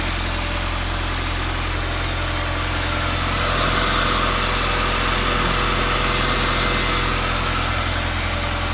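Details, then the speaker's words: Freshly swapped high-compression B20 engine, replacing the customer's blown motor, on its first idle before transmission oil is added: steady, super smooth idle with a low hum, no misses, ticks or exhaust puffing. "first idol super smooth"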